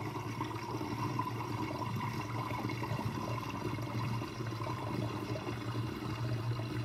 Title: Interesting kitchen sinkdrain with sinkdrainbasket with gurgling sound (1)